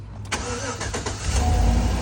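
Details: 2012 GMC van with a no-start caused by a shorted temperature sensor reading -40, with a resistor box substituting the correct sensor ohms: short crank, then it catches at once and settles to a smooth, steady idle. Normal start.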